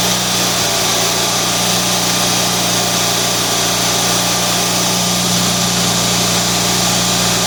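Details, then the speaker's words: Rebuilt Kohler Magnum M18 twin on engine test stand (Cub Cadet 1882), warmed up, slight raw fuel on exhaust; steady even hum at about 1200 rpm low idle, no misses or knocks, oil pressure about 45 psi. "okay she's all warmed up i had a little raw fuel on the exhaust there right now we've got our idle idle set at about 1200."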